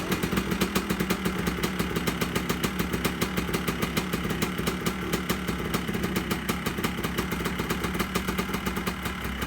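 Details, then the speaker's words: 2001 Yamaha Blaster two-stroke, back running after its long-sitting carburetor's clogged main and pilot jets were cleaned: crisp, rapid, even firing that picks up cleanly on the throttle; sounds good, running properly. "[Music] so there you have it guys sounds pretty good to me so here she is running my 2001 yamaha blaster my keys sounds good"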